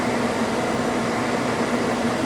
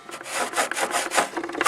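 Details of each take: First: Toyota Tarago/Previa/Estima TCR10 van blower motor running after blower housing removal and A/C evaporator cleaning: steady, even rush of air at constant speed, a slight audible rub, otherwise normal blower operation. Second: Toyota Tarago/Previa/Estima van blower fan running after blower housing removal and evaporator cleaning: quick scraping swishes several times a second; blower wheel rubbing against something.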